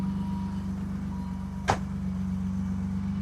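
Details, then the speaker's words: BMW E28 first cold start after a valve adjustment: smooth, steady idle with no top-end ticking and one brief bump, much quieter than before; valve clearances sound right, normal idle. "Wow. I don't think I screwed it up. It is heaps quieter. I don't know how well the mic's picking it up, but it is way quieter now."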